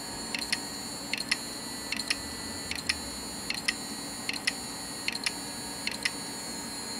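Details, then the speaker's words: Damaged hard drive not recognized by computer, on connection: steady high spin whine broken by sharp double clicks about once a second, heads apparently unable to reach correct position. "इसके अलावा यह डिस्क अजीब आवाजें बनाती है ये आवाजें जब आप इसे कंप्यूटर से कनेक्ट करते हैं तो आप देख सकते हैं कि जब यह कनेक्ट होती है तो"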